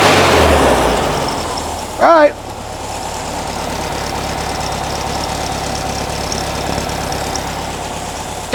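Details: 1957 oval-window VW Beetle air-cooled flat-four with generator, after adjusting fuel mixture to remove a slight bog: brief blip then even steady idle, no stumble or bog left; normal idle.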